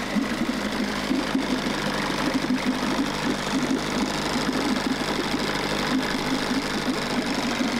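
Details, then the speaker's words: Fast, steady buzzing putter with a light rattle holding an even idle: 1994 Johnson 6hp two-stroke outboard from auction runs on choke with fuel line hooked up directly and water supplied, after carburettor cleaning. "Sweet. So it runs."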